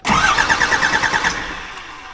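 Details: Cummins 12-valve 5.9 diesel swapped into an OBS Ford F350, first start attempt while bleeding the injector lines: quick, even cranking pulses about ten a second that fade out without firing, because of air in the injector lines.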